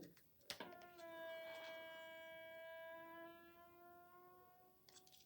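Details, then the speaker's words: Novolux floor scrubber water pump being primed by pulling on a syringe attached via soft hose to the water pump port: a thin whistling squeal rises as suction builds, meaning the stuck pump diaphragm has come unstuck. "Voilà, nous avons entendu ce bruit. Cela veut dire que la pompe à eau, la membrane est décollée."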